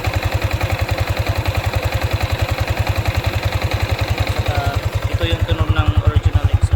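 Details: Yamaha Sniper 155 VVA motorcycle, seven months old, at idle. A steady single-cylinder idle with even low thumps near 3.5 per second, smooth and regular, with no knocks or rattles.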